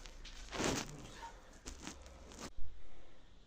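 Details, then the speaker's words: Honda Fit rocked by hand in a quiet workshop: dull, uneven knocks each time the body rocks, from worn stabilizer links, which are to be replaced along with bushings. "причина была вот в этих стойках Так что они под замену"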